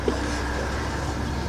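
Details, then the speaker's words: Ford E150 Econoline van, 4.9 engine, 242,000 miles, sat for 10 years, first start after starter replacement: steady low drone with an even beat, no knocks, ticks or misses. Normal running. "Oh, man, that sounded good. Oh, that sounded real good."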